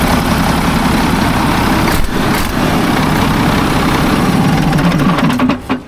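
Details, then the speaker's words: Mack tank truck diesel, believed 1995, 122,000 on the odometer, started on new batteries: a loud, steady clatter settles into an even idle with no misses or knocks as oil pressure comes up. A bad exhaust manifold leak is present. "Well, looky there. Now there goes oil pressure. It sounds really good."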